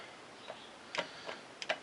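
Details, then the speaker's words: Scrambler ATV transmission with metal-laden fluid, in drive with the output held while the input shaft is turned by hand: sparse, irregular light clunks (about two a second) from play; a slack primary drive chain is suspected. "turning the input shaft and you can hear the SLO in that chain there's a lot of movement there I'm I'm pretty sure that's what the problem is is this primary drive chain inside here"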